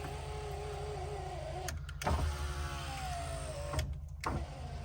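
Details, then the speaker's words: 1989 Land Rover Discovery V8 power window motor, probably seized from disuse and now freed and refitted: whirs steadily, stops, then runs again with rising pitch; it works but runs in reverse, moving up when the switch is pressed down. "Why is that doing that then? I'm not sure why, but when I press down it goes up, and when I press up it goes down."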